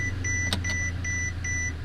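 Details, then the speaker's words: Mercedes-Benz S600 after repairing a parking-sensor ground fault, engine idling in drive: evenly spaced high beeps about every 0.4 seconds; Parktronic and radar sensors now working normally. "So you see those little bars right there? That is telling me that my Parktronic and my radar sensors are working perfectly fine."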